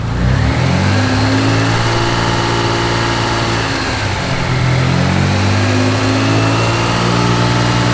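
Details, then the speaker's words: Mitsubishi 3000GT VR4 with rebuilt engine after alternator pulley work: idles and revs smoothly with an even drone and no hum or whine from the belt drive; owner suspects the idler or tensioner pulley or a loose belt caused the earlier noise. "i have no noise anymore the only thing i messed with was the alternator pulley so it's got to be one of those pulleys it's the noise is gone i can't get it to come back"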